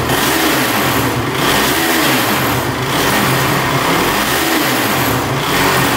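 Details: Honda TRX450 quad with top-end chatter: loud, ragged engine note that surges but never climbs cleanly or holds revs, stumbling and bogging under throttle; won't rev out, cause not yet found.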